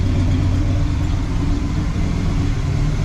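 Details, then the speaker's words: 1979 El Camino SS V8, sat over 8 years in storage, after fixing a large vacuum leak: deep, steady idle rumble with no hiss or hunting, sounding better; idle later set around 730 rpm. "this should make quite the difference see how it sounds well that sounds a little better I would say"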